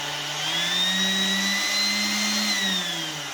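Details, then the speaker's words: Tilt-head KitchenAid stand mixer after replacing the bearing bracket; smooth motor whine that swells slightly and settles, no low wobble or rumble, the earlier noise is gone and it runs pretty smooth. "i think it definitely does it's a lot of that the lulu is out of there so it is running pretty smooth"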